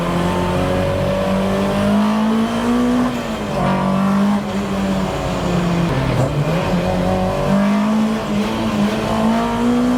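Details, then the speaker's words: Mk1 Ford Escort on the road: steady tone rising and falling with revs over the engine note under load; drivetrain noise, owner suspects clutch since his work van developed a similar noise after smelling clutch from heavy towing; unconfirmed. "There's that noise I was on about. Because funnily enough, the work van, after I had to tow something really heavy the other day, the clutch started smelling, and then I noticed that it was doing a similar thing, although it seems less sort of dramatic in the van, obviously."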